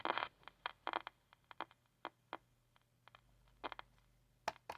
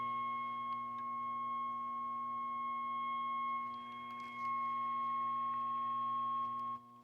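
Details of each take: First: 1960s Channel Master 6528A AM transistor radio: irregular sharp crackles and scratchy bursts over faint hum as the set is rocked; moisture corrosion and tin whiskers in the tuning capacitor from beach use. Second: Mid-1960s Channel Master 6528A six-transistor AM radio with an injected 455 kHz test signal: steady whistling tone through the speaker, confirming the IF stage works; fault is a dead local oscillator.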